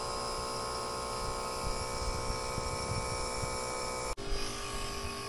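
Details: Hercules 2 CFM two-stage vacuum pump evacuating an AC system with accumulator, Schrader cores removed: steady even motor drone with constant high buzz, no knocking or surging; the pump is pulling down normally.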